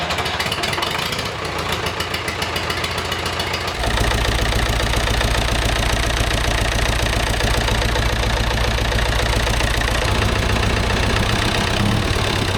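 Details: David Brown 990 diesel tractor abandoned 20 years after tipping over while running, fuel system flushed, fresh fuel, air filter checked, oil not yet changed: steady even clatter, rising to faster idle after about four seconds, no misfire; runs, sounds not bad.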